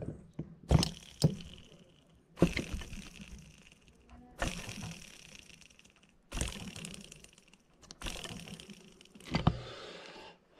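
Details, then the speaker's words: Chainsaw ball bearing removed and spun by hand, giving a faintly gritty whir that dies away: first-stage bearing failure, only detectable by taking the bearing out, spinning it and listening. "so whenever you start having bearing failure that's going to be basically the first stitch first stage of your failure and really the only way to know is to have the bearing outs and you know spin it and listen"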